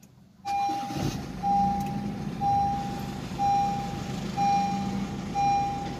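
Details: Honda City i-DTEC diesel at steady idle after a full service and belt replacement that fixed a loud squeal at startup; even idle, no belt squeal, a light chime beeping about once a second.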